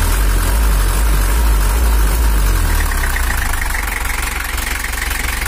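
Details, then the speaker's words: Toyota Hiace 2L diesel (LH11) pickup fitted with an Isuzu Traga bed, after engine tuning for more power and cooler running: strong, even diesel rumble easing smoothly as revs drop; throttle lighter and responsive, though slight uneven knock possibly from nozzle or camshaft remains. "Dan gasnya lebih enteng dan juga responsif. Kita coba dulu."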